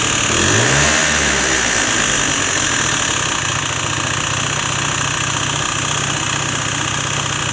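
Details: Peugeot Elyseo 50 two-stroke scooter on its first run after a new cylinder was fitted. Rough idle with a fast tapping about four per second; the owner then opens the variator cover, which looks unhealthy, and the knock's source is unclear.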